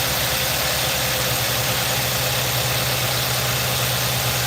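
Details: 2018 Nissan NV3500 5.6 L V8 after sludge cleanup, at idle: lumpy uneven idle with irregular stumbles and shaking; misfire blamed on a long-failing ignition coil, earlier tap and rattle now gone.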